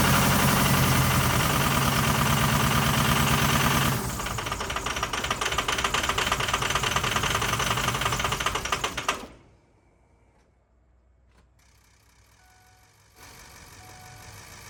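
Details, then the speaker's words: 2006 Ford F350 6.0L Power Stroke diesel, after new fuel pump, purging air: loud clatter with hard uneven pulse about nine seconds, then shuts off; rough running, owner suspects air bubble in fuel system. "I think that finally got the air bubble got to the air bubble so I'm going to cycle it a couple more times and see what happens"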